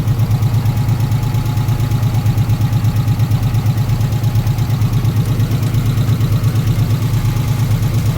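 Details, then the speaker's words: 1994 Subaru Legacy 2.2L after a new fuel pump, radiator, headers and thermostat; even low pulsing of about three beats a second at idle, no knocks or misses, just after its first successful start; normal idle. "well guys there you have it she does run i am so excited to finally get this car running"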